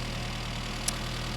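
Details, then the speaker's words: 1975 Mini Clubman estate with an engine stored 12 years: small four-cylinder ticks over at a smooth, even idle with steady low beat and no misses; healthy. "so will it run will it start yes it will there it is ticking over"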